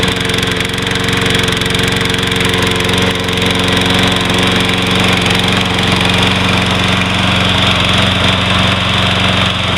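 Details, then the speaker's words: Troy-Bilt 21" mower, Briggs & Stratton 675 Series engine, unused for months, before carburettor cleaning: uneven chugging with an irregular beat and wavering, surging speed. Engine was hard to start and overfilled with oil; owner suspects fuel starvation. Engine misfire and rough running. "Just seem to have a miss in it and just run really [Music] rough."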